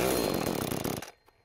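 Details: McCulloch Eager Beaver Super 2318av two-stroke chainsaw, reassembled and fired up with the bar off to test oil flow: high, buzzy note holds steady about a second, then cuts off cleanly; starts and runs normally.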